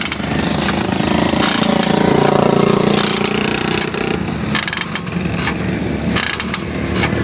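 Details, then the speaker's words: Suzuki Swift 2022, noise when pressing brake: low droning groan rising over road noise as car slows, felt at rear wheels, likened to a door-opening creak; rear drum brake groan, rear wheels to be opened. "दरवाजा खुलने की आवाज आ रही है चर करके आवाज आ रही है ब्रेक में बस आवाज महसूस करें आप ये"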